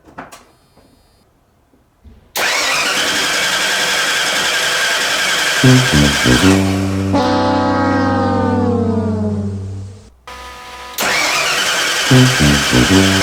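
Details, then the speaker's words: Rebuilt 302 in a 1985 Ford F-150 after the distributor was removed and refitted: even starter cranking at about four beats a second, running down then cranking again without catching; distributor not powering on, so no RPM signal to the computer. "well why are you not starting for some reason I'm not getting any RPM and the computer is not sinking with the distributor so I'm going to have to take a look at what's going on there"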